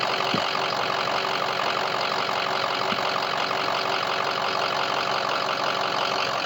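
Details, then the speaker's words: Ford 6.0 diesel pickup with a hot no-start problem, runs fine otherwise, recorded from underneath: steady, even diesel clatter at idle with no miss, knock or surge; normal smooth idle. "But I mean, like I said, this thing just sounds great. It sounds amazing."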